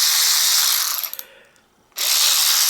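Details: Aftermarket cordless power ratchet, about 4–5 years old, after a repair that fixed its worn head: an even, high buzzing whir, a short pause, then the same smooth whir; it runs cleanly with no binding and its light works.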